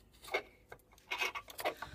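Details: 2013 Peugeot Speedfight 3 50cc moped with 6,800 miles, probably left out in the rain: short dry scraping rasps on each kickstart stroke with the engine off; the mechanism gets sprayed with WD-40.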